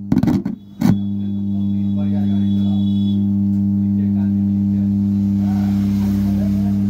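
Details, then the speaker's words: Amplifier with a 4440 IC board: after a short burst of sound, a loud steady low hum settles in and never changes. It is fixed by replacing a small capacitor; faulty filter capacitor. "दोस्तों नमस्कार आप लोगों ने देख ही लिए कि इसमें हमी की आवाज आ रही है और इसको कैसे दूर करें"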